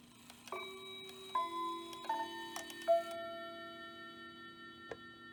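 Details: Hamilton bracket mantel clock from an estate sale (movement doesn't run, chimes work), viewed from the back, 15-minute chime after moving the hands to six: clean, clear, sustained chime notes struck in turn, working normally.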